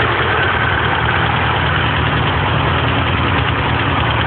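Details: 1978 Porsche 924 rebuilt engine at idle: loud fast even ticking from loose tappets; excess valve clearance because valve stem tips weren't ground, adjustment screws fully unscrewed; oil delivery good, oil pressure gauge broken.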